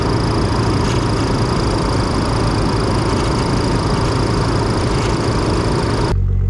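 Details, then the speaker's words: Nissan 300ZX Z32 twin-turbo convertible after underbody restoration, cold start on a humid spring day; no cats or resonators, mufflers only. Loud, steady, deep exhaust roar with no misses or knocks, a little smoky; normal exhaust note. "can't tell me that doesn't sound freaking good it doesn't have cats or resonators it's just pure Mufflers so for it being that it sounds pretty good but then again turbos are the best Muffler"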